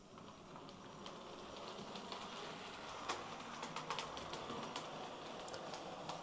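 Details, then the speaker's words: Hornby R2730 LMS Stanier Class 4P model locomotive after repair of a kick; the intermediate gear was filed and repositioned. Quiet, light clicking running along the track with no grinding or binding, drawing a steady 100 mA. "That seems better to me. What's the ammeter saying? A very steady 100 milliamps. I think we've sorted it."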